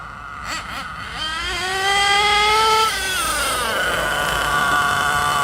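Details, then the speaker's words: Hot nitro engine in an RC truggy on stock base needle settings before tuning; shrill wind-up then a fuzzy, blubbery drone: running rich. "So you notice it's really rich at the moment. I'll just do a couple of runs to show you that."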